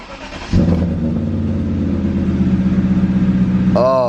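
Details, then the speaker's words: BMW E34 540i just fitted with a replacement ZF manual gearbox after the old one whined badly, exhaust refitted: the engine settles into an even idle in neutral with the clutch out. No whine, rattle or exhaust leak; gearbox healthy. "man no exhaust leak and the clutch out in neutral and there's no annoying er"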